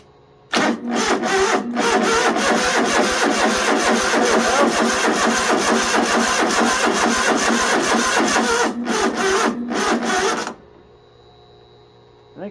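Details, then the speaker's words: 2005 Poulan Pro rider mower, Briggs & Stratton 17.5 engine: starter drags slowly in labored beats about twice a second for ten seconds without firing; the 150 cold-cranking-amp battery is weak despite reading 12.9 volts. "we just got us a weak battery for the most part oh yeah we're it's only 150 cold cranking amps that's pretty much the smallest lawnmower battery you can get"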